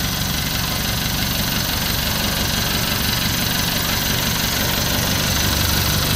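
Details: Newly assembled owner-type jeep with a diesel engine, brought in for hard starting: a steady, even diesel clatter at idle with no misses, knocks or stumbles; normal healthy idle.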